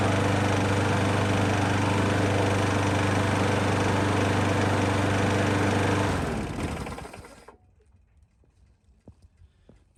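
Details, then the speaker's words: Craftsman lawnmower with a Briggs & Stratton autochoke, fitted with a new aftermarket HIPA carburetor: it starts on the first pull and putters steadily and evenly at three to four beats a second, then winds down cleanly. Runs normally. "that was genuinely my first pull with this thing and it starts right up never had one of these do that but i guess those carbs are decent"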